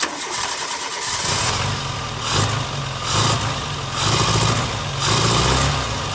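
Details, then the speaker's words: Barn-find Austin Maestro carburettor engine, not yet warm, with the mixture leaned and idle speed raised. It catches, then surges and sags about once a second without settling. The rough idle may need warm-up with the choke in and mixture/idle screw adjustment. "so what I may have to do now is I guess get it running and get it kind of warmed up and idling nicely and stick the older choke all the way in"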